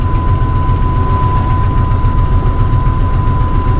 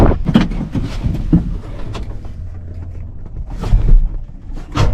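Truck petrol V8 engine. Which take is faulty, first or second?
second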